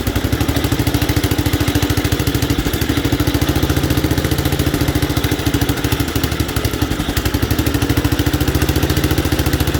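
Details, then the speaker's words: 1967 Gravely 430, sat outside for years, just fired on choke and throttle: uneven, lumpy single-cylinder beat around three pulses a second, never settling to steady idle; rough running, owner suspects debris against the ignition points. "it's not running good I know what the issue is"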